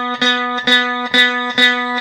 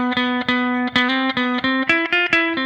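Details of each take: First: Review-copy guitar before fret work: same note plucked four times at the 9th fret gives a buzzy, sitar-like rattle on the attack, the high 9th fret buzzing against the string; fret buzz. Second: Guitar after filing, restrung and tuned: plucked notes ring clean and sustained with no rattle or buzz on any string; fret buzz gone.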